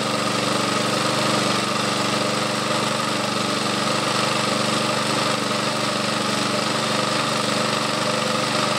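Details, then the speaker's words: Old Webb cylinder mower with Briggs and Stratton engine, started cold on choke: small single-cylinder holds a steady, even beat with no misses or surging, running smoothly and healthy. "so now we're going to see how easy this thing starts and it does start very easy"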